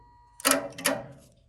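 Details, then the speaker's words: 1948 Plymouth Auto-Lite HRL 4101 horn relay bench-tested with a manual battery charger: two sharp, crisp metallic clicks about half a second apart as the contacts pull in; relay works. "you hear that click that's a magnetic field being created and the contactor being moved to the other side of that relay position"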